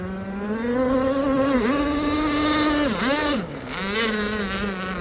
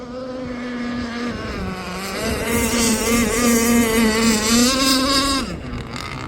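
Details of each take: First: Aeromarine Avenger 44 RC boat, Zenoah 29cc two-stroke, steel Gizmo pipe, first run on a ~66 mm ABC prop: high steady buzz that dips and stumbles a few times mid-run, a brief sputter under load. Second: Aeromarine Avenger 44 RC gas boat, Zenoah 29cc two-stroke with a steel Gizmo tuned pipe, running a roughly 66 mm ABC prop: clean steady high-RPM scream rising onto the pipe, running strong and healthy.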